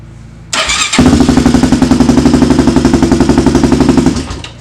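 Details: Rebuilt 400EX single-cylinder quad; owners think the earlier no-start was a combination of the spark plug and starter solenoid. Cranks briefly, fires at once and settles into an even chug of about four beats a second; normal start.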